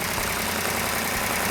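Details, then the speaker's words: 1970 Plymouth Cuda 440-6 with a Comp Cams Mutha Thumper cam at initial startup; loud, even V8 rumble at idle with no knocks or misses and slightly noisy valvetrain, normal on a new engine. Normal idle. "sounds good right off the bat that's not a pre-art no gain"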